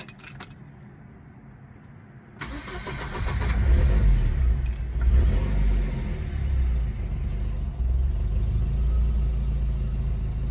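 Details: 1975 Volvo 242 with swapped 1984 B23 engine and M46, just after replacing all four accessory belts: keys rattle, a short crank catches quickly and settles into an even low idle with no belt squeal; a healthy start.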